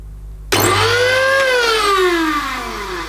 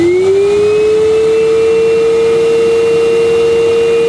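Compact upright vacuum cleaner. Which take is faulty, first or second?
first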